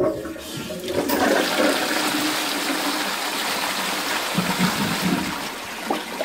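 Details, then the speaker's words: Post-1945 STOM Cardiff 146 cistern with Shanks closet, test with the green bell fitted not touching the cistern bottom: strong even rush of water holding steady several seconds, no knocking; normal, better flush. "it flushes better as well so looks like this is the one to go with"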